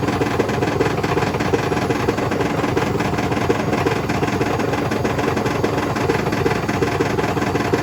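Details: Hotpoint BHWMXL145 washing machine on a test spin heading toward 1400 rpm: hard, rapid pounding about three times a second over a loud roaring spin, the drum slamming around on a spider with two snapped arms.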